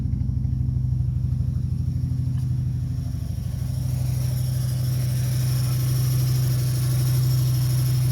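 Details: 2003 Dodge Neon 2.0 idling rough with a deep, lumpy, uneven chuff about three times a second, after a timing belt break at 80k miles and a rebuilt head; timing rechecked, 190 psi compression on all four cylinders, new plugs, no vacuum leak found.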